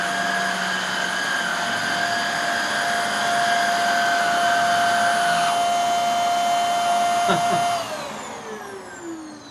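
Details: Hoover Air Steerable vacuum after refurb (commutator polish, new lower hose), reassembled test run: steady, clean motor whine at one pitch, then smooth wind-down at switch-off; motor sounds healthy.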